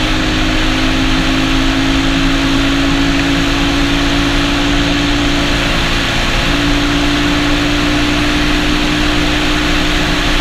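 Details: Honda XR200 single on its first test ride after a full transmission rebuild and other new parts: steady drone holding an even pitch under light load, no knocks or clatter; runs smooth and healthy, rider says everything felt smooth.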